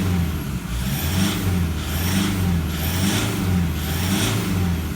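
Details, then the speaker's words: 2012 150 Prado 1KD-FTV diesel, about 150,000 km, new injectors running a few minutes, feedback values good: smooth note rising and falling through several revs, no knock, rattle or harshness, normal quiet acceleration. "Smooth, quiet acceleration. That's what your 150 Prado should sound like."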